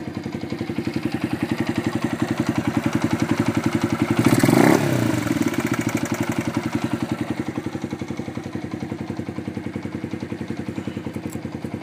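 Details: Honda FTR223 modified to 125, single cylinder, idling cold: steady idle with a dry, even clatter on every beat, about four a second; engine noise that occurs when cold, cause uncertain.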